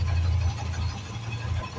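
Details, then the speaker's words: Royal Enfield after fuel pump motor repair and rusted tank cleaned, previously misfiring: single steady low thump at idle with no skipped beats; misfire gone, engine firing evenly. "এর আগে missing করছিল এটার জন্যই এখন আর সেই মিসিংটা"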